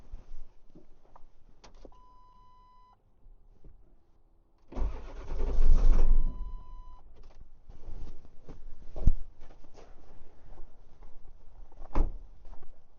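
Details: Ford 7.3 diesel truck that won't start in cold weather, weak battery, aftermarket block heater: starter churns briefly with uneven chugging, almost fires but never runs; cause not yet found.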